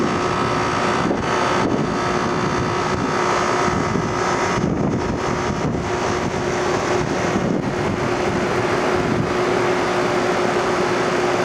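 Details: Rheem Classic central air conditioner condenser, first startup of 2016 on a warm day: compressor and fan come up to a steady hum under wind noise, no grinding or clatter; normal startup, cooling fine.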